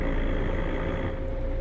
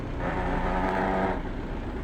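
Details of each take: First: Roadranger 18-speed constant-mesh truck gearbox, stationary, low gear selected: steady low drone with a faint even hum, no grinding or clash, unlike the higher-pitched whine of a mismatched gear; normal engagement of a closely matched gear. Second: Truck with an 18-speed Roadranger constant-mesh gearbox at idle: a low gritty buzz for about a second as the gear lever is lightly rested to touch the gear teeth, used to find the gear; gear teeth rubbing.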